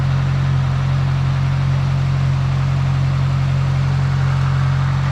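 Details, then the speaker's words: 1972 Ford Pinto Runabout with Motorcraft carburetor, cold, idling in neutral: steady, even low idle with a smooth rhythmic pulse, no knocks or misses; runs pretty good, though the carburetor occasionally acts up and will probably be rebuilt. "Actually running pretty good. Do I need to rebuild the carburetor? Every now and again the carburetor will act up."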